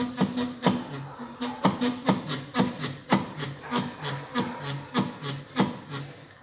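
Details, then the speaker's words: VW Tiguan 2.0 TSI 2014 front suspension, end link disconnected, anti-roll bar rocked by hand: rhythmic rubbing creaks from worn stabilizer bar bushings. "é um barulho tá da barra das buchas da barra estabilizadora quando tá ruim beleza"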